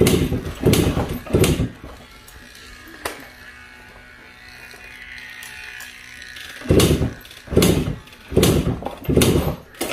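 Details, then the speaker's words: Suzuki AX100 (100cc) won't start despite new ignition coil and other parts: repeated kick-start thumps with no firing, weak spark traced to ignition-switch wire shorting and robbing spark. "puedo pasar el día pateando no prende no prende y no prende ya lo he intentado muchas veces"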